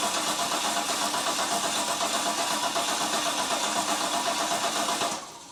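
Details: Holden Ecotec 3.8L V6 N/A burnout-car build, first start-up after final assembly: starter churns about four beats a second for five seconds and never catches, then cuts off; cranks but won't fire. Brake cleaner sprayed in next; cause suspected, not confirmed.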